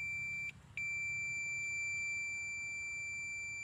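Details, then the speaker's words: John Deere PTO clutch switch, new replacement, tested with continuity tester: steady high beep, a brief break, then a solid continuous tone when closed and silence when pulled out; the new switch is good, the old one silent and faulty. "And that's the sound it should be making. Now, if I pull the switch out, it goes off."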